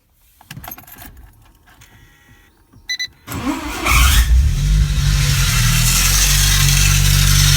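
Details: Engine just started after a major overhaul, metal shavings found beforehand: it fires and revs with a steady knocking about four per second over the run; cause unknown; engine knock.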